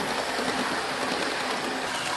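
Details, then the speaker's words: Bachmann Class 221 Super Voyager model train, replacement unit running: loud steady whirring hiss from the noisy motor, much noisier than the first smooth, quiet unit. "If anything, I guess my only gripe would be the noisy motor. You hear that? It sounds more like a 1969 Morris Miner than a model train from Batman."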